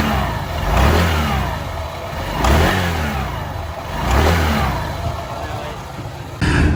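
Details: Honda PCX 150 after CVT repair with new pulley and clutch spring: three smooth rev-ups from idle and back, engine pulls clean with no rattle or slip; normal CVT operation.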